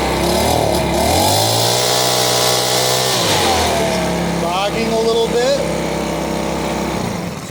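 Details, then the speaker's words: Makita BHX2500CA four-stroke blower after a new aftermarket carburetor and fuel line kit, started on full choke then run at full throttle: the pitch sags and wavers instead of climbing cleanly, a mild bog before adjusting the carb screw. "one's bogging a little bit but it has an adjustment screw on it"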